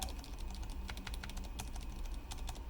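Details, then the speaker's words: Riskeyboard 70 keyboard, enter key with latest improved magnetically-stabilized stabilizer design, compared to oldest stem that makes noise. Crisp even clicks with no rattle or ping from the long key; stabilizer essentially silent, working properly. "now let's compare it to the latest and greatest which is the enter key here it's basically no sound from the stem menu from the stabilizer anyway"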